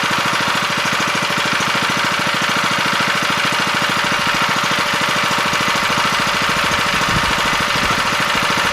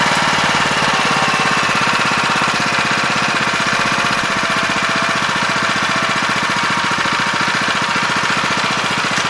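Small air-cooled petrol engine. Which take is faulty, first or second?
second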